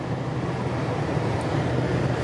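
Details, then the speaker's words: Driving a 1999-06 Silverado truck bought cheap with almost no brakes and the engine light on: smooth, steady engine drone under way with road and wind noise, no knocks or misfires; sounds good, drives good, throttle response good. "sounds good though freakin drives good throttle response is good"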